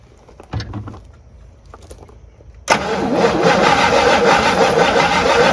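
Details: Abandoned 1958 Super, first start attempt on a mystery engine with fuel poured into the line and bowl: steady fast cranking whir that never catches or runs; no fuel gets through, so the fuel pump is judged dead.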